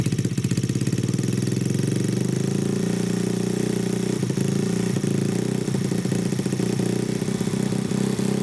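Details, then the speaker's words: Honda Grom clone single-cylinder after valve adjustment (compression felt low before), carburetor sorted: catches and runs steadily, quick even putter at slightly high idle, to be turned down; fires cleanly, healthy. "So, it does run. Let me turn the idle down a little bit. It was a little bit high."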